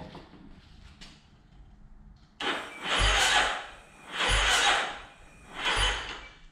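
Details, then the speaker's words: 2009 Yamaha Raptor, freshly reassembled engine: three slow, labored crank strokes about 1.5 s apart, never firing. Owner suspects the wiring isn't up to snuff, charges the battery, and considers rewiring; slow cranking, no start. "I got a feeling the wiring on this is not up to Snuff I might have to rewire it just not cranking fast enough kind of upsetting"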